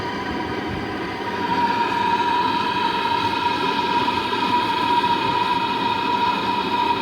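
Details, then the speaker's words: Jandy JXI 400 pool heater that intermittently fails to ignite on a call for heat (owner suspects the gas valve); on the sixth try there is a quiet hum, then a swell into a steady rumble as the burner lights and runs normally. "You should hear the rumble, a click, and then a rumble."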